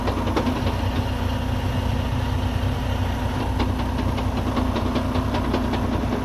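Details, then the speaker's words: Freightliner Cascadia with Eaton 13-speed transmission, diesel idling: loud, uneven knocking and rattle with no steady rhythm, louder when the clutch is released, from mid-truck; broken internal transmission gear teeth. "that definitely is not a good sound. I think it's coming from this cascadia. It came in with that sound, as you could hear it. It sounds very loud, especially when the clutch is released."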